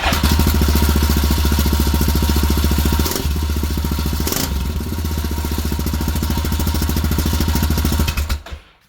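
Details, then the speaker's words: Yamaha Grizzly YFM660 idling: loose, tinny rattle riding on each exhaust pulse from a loose baffle in the exhaust, where a bolt has broken off. "all right I got this Yamaha Grizzly exhaust that makes a rattling noise when it's running"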